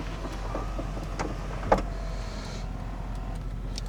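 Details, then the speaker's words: 1997 Chevy OBS 1500 truck, power window: steady motor hum runs smoothly about a second and stops cleanly with no grinding or strain; both windows work normally. "Both windows work."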